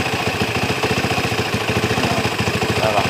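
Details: Honda Tiger single-cylinder motorcycle, hard to start when cold, with high compression: steady putter at about 3.5 beats per second, even and stable after carburetor setting; a healthy idle.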